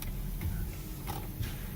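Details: Car towed in with turn signal not working, fixed by replacing the clock spring (cancellation cam), test drive after turn: soft dry flasher ticks in quiet cabin; turn signal clicking and cancelling normally after repair.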